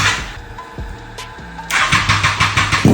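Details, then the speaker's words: Abandoned Triumph Street Triple first start after fluid change (new oil, filter, coolant): lumpy, uneven beat with irregular pulses instead of smooth triple hum; rough running, owner suspects only two cylinders firing, injectors removed for cleaning. "ഇപ്പോ start ആയിട്ടുണ്ട്. Sound അത്ര സുഖമില്ല. കേട്ട് രണ്ട് cylinder മാത്രമേ work ചെയ്യുള്ളൂ എന്ന ഒരു ഡൗട്ട് ഉണ്ട്."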